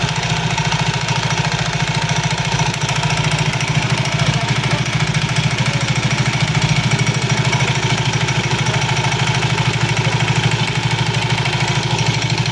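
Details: Soul GT 115 scooter idling: a loose hollow klotok clatter about three times a second from the CVT belt-drive area. Usually caused by looseness or wear in certain CVT parts; cause suspected, to be checked.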